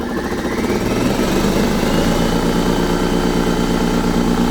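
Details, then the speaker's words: 2023 Ford Super Duty 6.7 high output Pro Power onboard inverter running an air compressor: steady droning motor with a rough labouring pulse under a rising whine; the inverter overloads near maximum PSI and struggles to drive the motor despite being within rated range. "running now but this system is really struggling right now with just this as I reach the max PSI I actually just overloaded that system just by running this"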